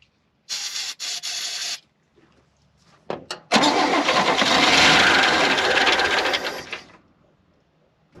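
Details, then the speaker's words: 1971 International Harvester 1110 pickup, AMC 232 engine, first start attempt, no fuel pump supply: dry cranking, then a short rough burst of firing on sprayed carb cleaner that dies after seconds; fuel not reaching it. "well that tells me if we can get fuel to it and the carburetor works we're gonna run"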